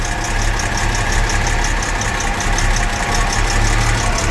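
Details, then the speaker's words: 1975 Jaguar XJ6 Series 2 SWB after a full mechanical rebuild: even idle, calming down, with a light, fast top-end tick; the cam chain seems quiet, and the engine is thought to need more tweaking; cause not confirmed. "It's calming down a bit, but it really needs a little bit more tweaking in that engine. I think the cam chain, I don't get any noise out of the cam."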